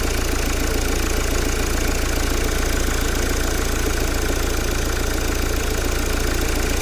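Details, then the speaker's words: 2010 Mercedes Vito 2.2 CDI diesel after replacing the squeaking auxiliary belt idler pulley and belt: steady, even idle with no squeal or chirp from the belt side; normal idle. "Ah, look at that. That's better. Beautiful. No noise. It's lovely."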